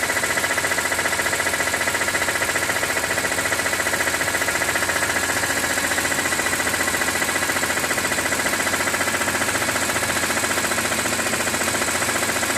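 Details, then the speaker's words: 2006 BMW E46 M3, about 42,600 km, warm idle with oil temperature over 80 °C: crisp, very regular tick a bit over two per second; source unclear, owner wonders about the oil pump. "音が出ます。なんだろう。オイルポンプとかだったらわかんないな。"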